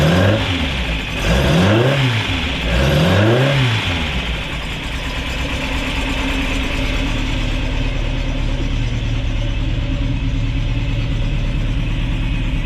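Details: Ford crossflow race engine in a TVR Vixen, rebuilt with a loaned cylinder head, first start: several clean throttle blips rise and fall smoothly, then settle to a steady even idle with no knock; healthy, not yet warmed up.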